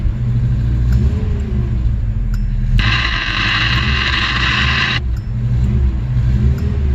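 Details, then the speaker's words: 1986 Subaru GL, sat outside a decade with history of carb issues, just restarted with blocked-off vacuum lines: rough idle rising and sagging every couple of seconds, hunting near stalling; cause unconfirmed. "just see if I can try to figure out how to keep it stay running"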